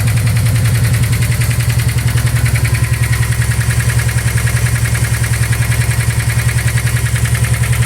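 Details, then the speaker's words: Subaru WRX at idle: steady heavy knock about two to three times a second, sounded like rod knock but turned out to be a bent valve. "It just kind of ran, had a rod knock. Actually wound up being a bent valve."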